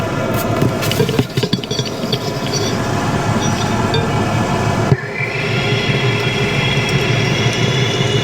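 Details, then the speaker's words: Mazda CX-30 turbo on the lift, driver's rear wheel spinning, heard with a stethoscope: steady rough grinding drone rising with wheel speed, a worn rear wheel bearing that was then replaced. "the noise is coming from the driver's rear and it sounds like a a bearing it's it's a bad bearing"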